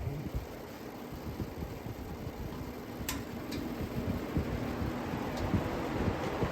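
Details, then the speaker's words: Vintage Happy Home box fan, found in trash, running on high after low test: steady even air rush with low hum, no rattle, tick or wobble; heavier blades give more airflow but draw more wattage. "Now, if you notice, the Happy Home fan has heavier blades, so it takes longer to get up to speed, but once it does, it's significantly more airflow, but significantly more wattage too."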